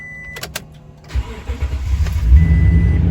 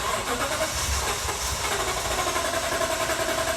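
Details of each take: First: 2018 Toyota Tundra flex-fuel, cold start at 30 °F, second day after a fuel change to cure long cranking; under a second of crank, fires cleanly to steady idle, healthy start. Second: 2018 Toyota Tundra 5.7 flex fuel, about 122,000 miles, in cold weather: steady fast cranking churn for about five seconds before catching; recurring long crank each winter, owner suspects fuel problem, not fuel pump.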